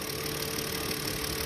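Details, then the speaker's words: Kia Sedona van with oil pressure light on, before an engine flush: fast light metallic valve train rattle over the idle, louder with throttle; attributed to low oil pressure starving the engine; strong vacuum at oil cap. "see that rattling sound there well that's because the oil pressure is not up to what it's supposed to be and the engine is starved of oil so when I give it gas their valves rattle more"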